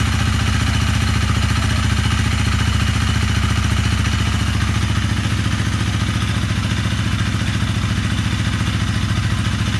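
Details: Honda CRF250L single-cylinder engine, 3,851 km, running after top-end rebuild (piston, rings, cylinder replaced): even, steady thump with no ticking or knocking. The earlier noise and stalling came from a broken piston ring; old fuel was suspected of causing abnormal combustion.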